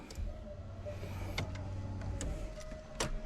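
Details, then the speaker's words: Car won't crank: only a few sharp clicks, like a dead battery, though battery shows full charge every time and fuel pump runs; in neutral, after adding a ground cable to the frame rail, issue persists; click no crank, cause unconfirmed. "Nope. Still got that same issue. But we're getting full charge every single time. Something is going on. Like you can hear it literally sounds like a dead battery."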